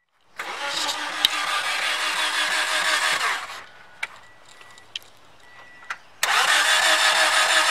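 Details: 2009 Toyota Yaris Base, after fuel pump replacement, before ECU hard reset: starter spins steadily about three seconds, then again, engine never catches or fires. Crank no start; pump only primes while cranking.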